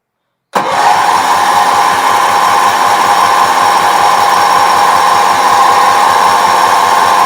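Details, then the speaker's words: Bargain Wheel Horse 308-8 garden tractor, fuel leaking at the tank gasket, fuel filter full and plenty of fuel reaching it: the starter churns steadily at about three to four compression beats a second but it never catches. Crank, no start. "it yeah that should have started that could be a problem huh it's going to start bastard it's getting fuel"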